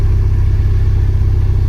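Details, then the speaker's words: Mk5 VW Golf GTI with a cylinder 3 misfire, worse once warm; garage suspected a split piston or ring, but compression test suggests not mechanical: deep, throbbing idle with an uneven low pulse, heard under the bonnet on a cold start. "can hear it under the engine as well under the under the Bonnet it's the engine's not happy"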